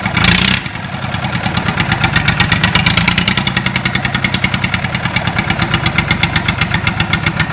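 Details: Lister Petter SR3 air-cooled diesel started after rebuild: brief start burst, then a steady, even chug with regular firing pulses and no knocks or misses; runs healthy.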